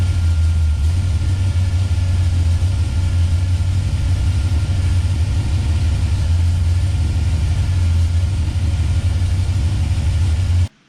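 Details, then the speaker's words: 1971 Plymouth Road Runner 440 big-block V8 with a FireCore distributor, initial timing backed off toward 20°: a rough, uneven idle that surges slightly and struggles to hold. "I got it to about 30. I got to idle up to keep running. I keep going down 25. I got to idle up to keep running."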